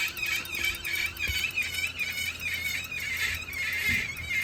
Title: 2021 Wahoo Kickr squealing noise